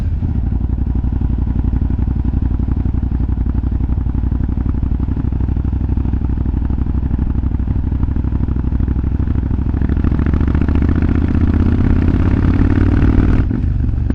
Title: Yamaha BT1100 BULLDOG exhaust popping sound